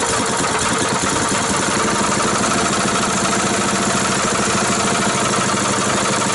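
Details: Brand-new 6.5hp (196cc) Power Fist single-cylinder engine, destined for a Baja Dirt Bug, on its first start: a steady, even beat with no knocks or misses. The engine is healthy.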